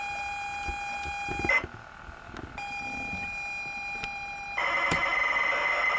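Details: ZX Spectrum +2A tape drive after a belt replacement and white lithium grease: steady high loading tone, a pause, another tone, then a buzzing data burst, the tape loading cleanly.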